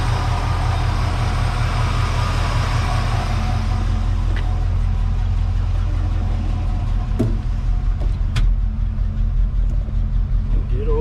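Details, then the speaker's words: Chevy 305 small-block V8 in a 1970 C10 after replacing a bent pushrod and fitting new gaskets: steady, even idle with no tapping or misses, firing on all cylinders, healthy oil pressure; normal idle after repair. "oil pressures they're pretty healthy there it all sounds pretty sounds like it's hitting on all those Banks over there I think I think that's a good success sounds pretty good"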